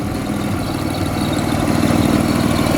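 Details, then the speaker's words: Toyota Corolla drift car with supercharged BMW M50B20 engine and T18 gearbox, just fitted with B28 injectors: steady smooth idle, no knocks or ticks; runs well though richer at idle, normal. "Well, seems to run pretty well even with the B28 injectors. Definitely running richer on idle."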